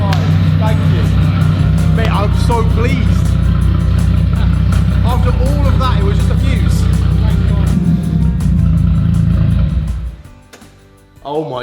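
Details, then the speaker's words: VW Caddy van with a swapped-in 3.2L VR6 from an Audi A3, after a fuse thought to be misplaced was moved: the engine catches and settles into a very loud, deep, even idle. Normal start and idle. "That is louder than the Fusion. Oh my god, that is loud."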